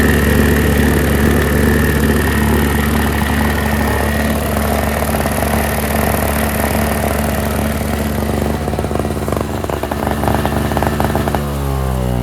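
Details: NOMA 4.5 hp Tecumseh two-stroke 21-inch single-stage snowblower, pull-started after the tar-clogged fuel filter was replaced: steady, even buzz without surging or stumbling, then winds down smoothly. Runs great, normal.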